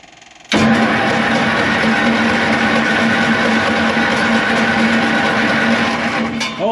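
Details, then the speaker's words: Leroi 4-cylinder gas engine on Bantam T35 crane (1945 GMC 6x6), sitting over 8 years, choked: steady starter churn six seconds without firing, gas leaking out of exhaust; flooded engine, cranks but won't start. "I think I smell gas I do too where something's leaking out of the head up there it is out of the exhaust oh you got it flooded yes I do now"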